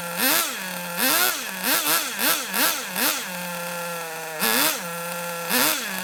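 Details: Kyosho Mini Inferno ST 09 nitro RC engine, primed with a starter box, settles into a steady low buzzing idle between sharp throttle blips; the tick-over is slightly too low and gets turned up.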